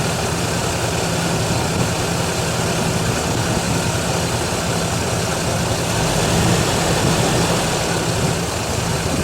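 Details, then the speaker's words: Buick warming at idle before the thermostat opens, gauge rising slightly: steady, even idle with a smooth low hum, no misses or knocks; noisy alternator bearings also noted. Engine idles normally. "the thermostat has not opened yet but the gauge has gone up slightly oh yeah there you go now she's happy"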